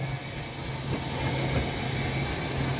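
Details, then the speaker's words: Slide-out motor running with a steady low electric drone, even level, no grinding or clicking; after retraction a brief buzzing is heard as the motors synchronize while the button is held; smooth, quiet, healthy operation. "you can hear how smooth it is it's running good nice and quiet and then you might be able to hear the motors here when I'm done"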